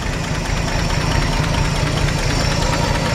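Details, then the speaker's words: 1951 Chevrolet 3100 truck with a straight pipe and no muffler: loud open-pipe idle with even exhaust pulses and no knocks or misses; engine sounds healthy. "actually got a straight pipe on it no muffler and I actually really really like the way it sounds this is actually might be one of the first trucks I've ever gotten with no muffler on it sounds awesome engine sounds great really healthy"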